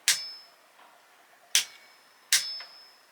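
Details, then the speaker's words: Torque wrench set to 8 Nm tightening the V-brake bolt on the other side of a bicycle; sharp metallic clicks about a second apart, clean with quiet between, as it breaks over at the set torque specification. "We've reached our torque specification. So from a torquing point of view, that's pretty much it done."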